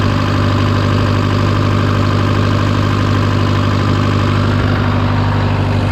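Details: Case VAC tractor idling after a new aftermarket water pump replaced the one that let it reach 80°C after a coolant change; temperature steady near its normal 40°C. Steady, even low rumble with an unchanging beat, no knocks, ticks or whine; normal idle.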